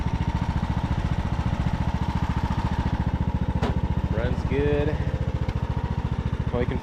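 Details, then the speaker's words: Revived Craftsman YT3000 riding mower, abandoned about 4–5 years; even single-cylinder thump about three and a half beats a second, no misfires or knocking; healthy, good-running mower. "all right well I think that we have a nice good running mower here"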